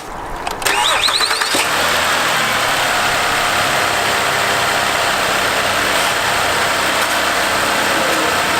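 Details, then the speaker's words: 2007 Ford Fusion SEL, 3.0L V6 automatic, about 173,000 miles: normal cold start and idle, quick crank and catch then smooth even idle with no ticks or tapping; engine sounds healthy. "you can hear, no ticks or anything that would make you worried about the health of the engine."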